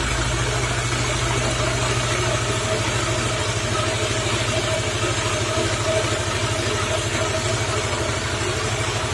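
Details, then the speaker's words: Suzuki Nex FI scooter, weak and noisy climbing hills, engine running with rear wheel spinning: loud coarse rumble with fast uneven rattle that fades when the wheel is braked; suspected CVT or gearbox, worn gearbox bearings. "Oke kalau di analisa awalnya ini sewaktu mesin hidup Intinya kalau ban ini muter ban belakangmu terus suara kemerangsangnya itu bener-bener bener-bener keras tapi sewaktu Bali ini direm nggak muter ini suara kempresinya sedikit menghilang"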